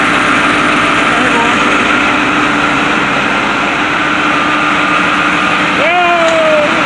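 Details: White 4-175 tractor diesel idling after its first start following rear main frame repairs. Steady, even idle with a constant hum and no knocks or misses; normal idle.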